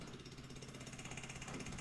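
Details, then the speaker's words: 1985 Bronco II, 2.9 swap, A4LD transmission: fast even starter cranking with rapid chugging pulses, never fires; battery ruled out, ignition or neutral safety switch suspected, not confirmed; cranks about twice as fast as most cars. ">> That cranks like twice as fast as most cars."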